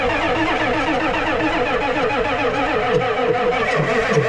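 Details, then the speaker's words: Ford 7.3 IDI diesel revival, battery at 12 V, worn starter smoking: labouring, uneven crank that drags and never fires; weak cranking, starter or battery suspected, glow plugs not yet connected. "is that the starter giving up or is that the battery"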